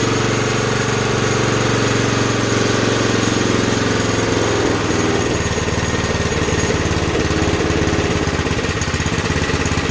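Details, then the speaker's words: Campbell Hausfeld CE2000 gas air compressor, 5.5 HP Honda GX160-type engine, governor spring checked: uneven chug that sags instead of picking up when throttled; won't take throttle, carburetor suspected gummed up. "Alright, so if it was that governor spring, you should be able to give it throttle and have it do something. If not, probably something in the car. Or it could die right then. It's probably something in the carb."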